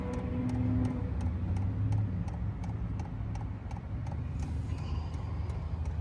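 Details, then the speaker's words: HCalory TB2 diesel heater toolbox at first startup, just after priming and not yet blowing hot air: light, even ticks about three a second over a steady low fan hum; normal fuel pump ticking. "It's blowing, but it's not hot yet. I don't know if you can hear the ticking on this."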